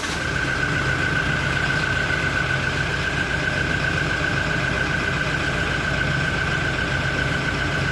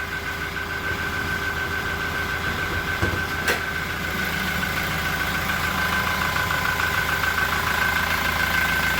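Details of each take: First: Toyota Innova Reborn cold idle during warm-up: smooth, steady engine hum with no chirp or ticking yet. Normal for now; a cricket-like chirp is reported near the end of warm-up idle. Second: Toyota Innova Reborn idling once warm and rpm has dropped: steady idle with a thin high cricket-like chirp ticking with firing, intermittent, not from the engine bay.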